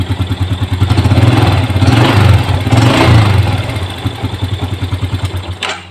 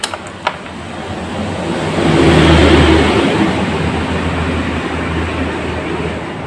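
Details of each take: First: Yamaha Jupiter Z1 with a weak-starting complaint blamed on a weak battery; here the starter catches quickly, then a steady single-cylinder beat about three per second until shutoff; starts and runs normally. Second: Yamaha Jupiter Z1 with a new starter motor cranks slowly, the labouring whirr swelling and fading without firing, as if the battery were flat; the battery is new, and the relay is suspected. Weak starter crank.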